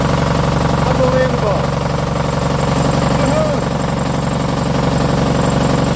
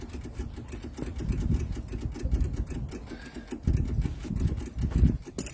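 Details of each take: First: MEP002a military diesel generator from auction, unrun for decades, with rusty fuel from a corroded steel tank. It starts and holds an even thrum of about four beats per second at steady speed. It runs smoothly. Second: MEP002a military diesel generator from auction, unrun for decades, with rusty fuel, before glow-plug preheat and with no engine running. Rapid, steady low ticking as the electric fuel pump clicks, bleeding air out of the fuel lines.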